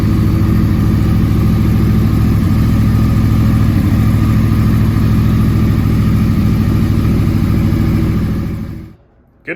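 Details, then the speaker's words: 2009-2014 Yamaha R1 crossplane engine after starter replacement, cold start after sitting about 2 days at about +5 °C: catches straight away into a steady, throaty idle, then cuts off, normal cold start. "it's been sitting for probably 2 days it's about plus 5 in the shop here so it's pretty cold nice cold start"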